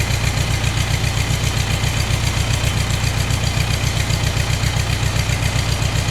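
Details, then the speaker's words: Ford 2N tractor running on three cylinders, battery freshly charged: lumpy low idle about 2.5 beats a second, one cylinder dropping out, front cylinder suspected; misfire. "well the Ford tractor has been running on three cylinders"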